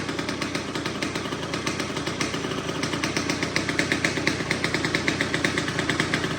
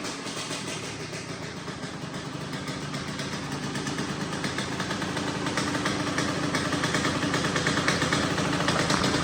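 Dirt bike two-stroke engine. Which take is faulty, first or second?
first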